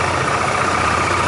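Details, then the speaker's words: Dafra Maxsym 400i scooter at about 17,000 km idles with a thin steady high squeal over the engine from the CVT; a dirty, glazed belt and pulleys are suspected, and the CVT is opened for cleaning. "essa moça galera tá fazendo um chiado aqui na parte do CVT vamos desmontar para fazer a limpeza verificação"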